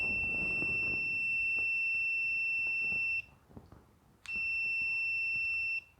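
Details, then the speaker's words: Multimeter in ohms/continuity mode across a brand-new lawn tractor safety switch (John Deere LA145 context): steady high beep about three seconds, stops, then about a second and a half more. Continuity beep, switch good. "That switch is good. Of course, it's brand new."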